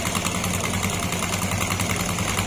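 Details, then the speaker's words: Honda Beat FI scooter at idle with CVT cover off: steady idle with a faint rapid knock resembling a connecting-rod knock, louder when revved, actually caused by a loose drive pulley with crushed sliders. "Kasi maingay yung tunog ng makina niya, na parang tunog connecting rod."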